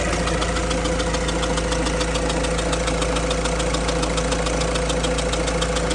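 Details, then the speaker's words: 2007 Peugeot Expert 1.6 HDi diesel van, 180K, injectors all leaking, idling after coolant refill during coolant-leak check: light regular chuff about three per second over diesel clatter, injector blowing by its leaking seal. "Um, you can hear that little injector uh chucking away, but um I filled the coolant up."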